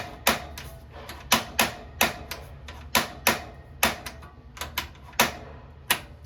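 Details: 2022 Wildwood 28VBXL travel trailer propane oven, right knob turned to the flame setting: sharp dry igniter clicks, two or three a second in uneven bursts, in a quiet room while lighting the oven; normal.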